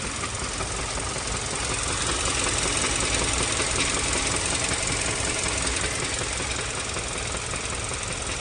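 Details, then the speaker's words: Hyundai Sonata 2.4 warm idle with regular tapping knock about three per second, louder when stopping, in park or idling, barely heard while driving; absent for first 10 minutes after start, cause unknown. "вроде бы на ходу его не слышно но как только ты начинаешь приостанавливать включаешь паркинг либо находишься на холостых он начинает усиливаться"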